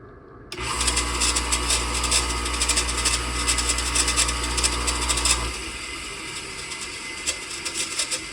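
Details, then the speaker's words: Delta 1-inch belt sander, noisy in use, run with the belt removed: steady fairly quiet motor hum and light whirr for about five seconds, then spin-down; motor fine, noise suspected from the bearings. "Okay, that's not so bad. Sounds like the noise is coming from these from these uh bearings."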